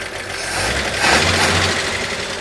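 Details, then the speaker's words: 1941 Chevy coupe straight six after new generator and fan belt, long run warm with temperature gauge at about half, some steam and smoke; steady, even idle with soft low drone, no knocks or misses, healthy. "it sounds pretty healthy."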